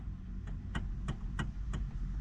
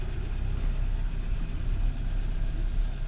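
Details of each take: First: Hyundai Sonata steering column: dull knocks about three per second as the wheel is turned; a worn bushing in the steering assist coupling suspected, coupling replaced. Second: Hyundai Sonata after replacing the steering assist coupling to cure a steering wheel knock. A steady low engine rumble with only a few faint clicks and no knock through the steering column; the noise is gone.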